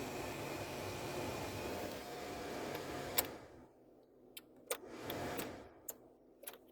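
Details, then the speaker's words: 2005 Toyota Tacoma cabin blower runs only on high: steady blower roar for three seconds, then it cuts out leaving switch clicks; failed blower motor resistor, since high speed bypasses it and goes directly to the motor; resistor being replaced. "the problem is in most cases the uh blower motor resistor goes bad and the reason it blows on high is because it takes a different path than the rest of the circuitry does"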